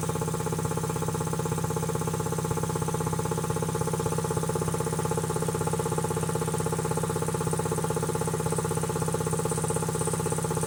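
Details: Quincy QT-5 (QT5) compressor pump, first run after rebuild: steady, even pumping beat about three per second with no knocks or rattles; running smoothly and healthily.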